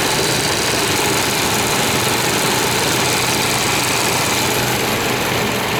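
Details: 1998 Chevy Vortec V8 first running after 12-15 years stored, Passlock reset; cylinders filled with oil, little exhaust smoke, nearly out of fuel; slightly uneven, hissy idle, no clear knock; rough idle after long storage.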